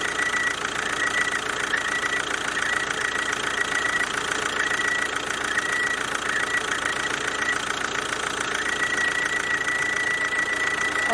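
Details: Kia Ceed 2.0 CRDi 140 hp diesel at idle: constant high-pitched squeal holding steady, mistakable for roller, tensioner or bearing squeal; the oil-lubricated vacuum pump on the alternator is drawing air through a small gap.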